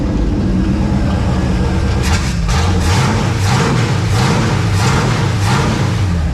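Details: Dodge D100 long wheelbase, rebuilt engine with GM HEI module instead of Chrysler box, first run in 4 months, no radiator or coolant: catches and runs loud and steady, picking up cleanly on throttle blips; normal running.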